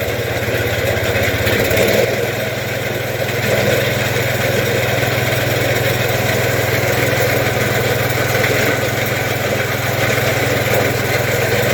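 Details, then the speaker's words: Case Ingersoll snow blower auger running: a steady drone with a loose, fast rattling chatter, far from quiet; auger shaft has at least half an inch of play in worn bearings. "this side's the same sprocket moving up and down i'll turn it on too this one's an extreme case but these things should be pretty quiet when they're running so"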